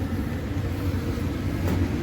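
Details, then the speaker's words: Owner's residential 80% gas furnace startup sequence: inducer motor starts to exhaust fumes and closes pressure switch; steady low whir and rumble, no rattle or scrape, normal start before hot surface igniter and gas valve. "and send the signal back to the board to tell you tell you that everything ignited so there goes our inducer motor pressure switch closes"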